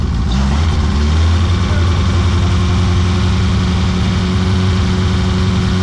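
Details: BMW E30 revived after 3 years sitting silent, idling just after its first restart: steady, even low idle with a smooth unbroken rumble and no knocks or misses; normal idle.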